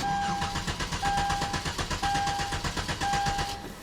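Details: 2011 Hyundai Genesis 3.8L, crank no start, weak battery: starter spins the engine evenly with door chime beeping, never catches over three seconds; failed fuel pump not delivering fuel.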